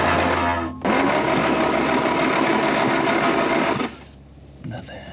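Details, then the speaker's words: 1940 Plymouth Deluxe parked about 65 years: it cranks evenly about four beats a second and never fires, using a known-good 6-volt coil borrowed from a Model A. The points seem to work, so a bad condenser is suspected. "Got a known good coil. The points are functioning. Seem to be functioning like they should. So, that means we've probably got a bad condenser."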